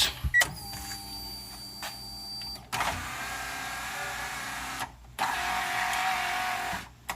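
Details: Honda del Sol window motor after cleaning corroded connections in its plug; two clean two-second runs with a steady whirr and a soft stop thump; normal operation.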